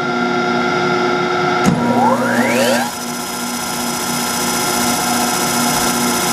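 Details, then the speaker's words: Antique Allis-Chalmers 10 HP electric motor with repaired shaft, started on a 240 V three-phase phase converter: converter hums with rough gritty hiss from its worn bad bearings as the motor whines up to speed. "And the converter is my really sick one that I've been talking about, how sad it is with the bad bearings. So you're gonna have to hear that noise."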